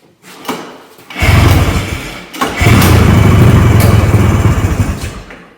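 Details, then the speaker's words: Polaris Colt two-stroke after new choke plungers, spark plug caps and fuel system parts, started in cold weather with no choke cable (broken); short crank, cough, quick catch into fast steady burble settling to idle. Clean cold start. "That's the start. Now bear in mind I have no choke cable on here and it is getting colder outside cuz choke cable broke when I was fing with that choke plunger on the mag side."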